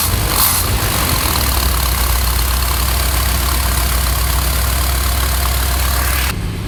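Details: 1973 Chevy C60 fuel truck, 366 gas V8 with Holley EFI, cold weather with block heater, after fouled spark plugs and leaning out choke setting: low, even idle with steady beat, no missing, smooth and settled.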